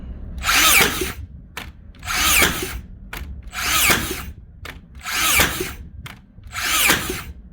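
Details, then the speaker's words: Makita DBN600 cordless finishing nailer after regreasing to cure misfiring: five crisp firing bursts about every 1.5 seconds, cycling cleanly with no blank shots; big improvement, though it jammed one nail. "she's definitely firing them shot them all that time that's definitely an improvement but it did Jam one"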